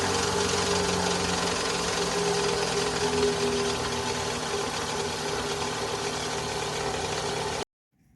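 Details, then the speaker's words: 2011 Toyota Vellfire ANH20 with the 2AZ-FE engine, recorded before repair. Complaint is very rough running at start-up, worst when cold, fading once hot. Steady run with a coarse, harsh rumble and a faint grating tone from a worn balancer shaft. "itu tadi ya rekaman dari e suara mesin kasar ya dari balanerapnya"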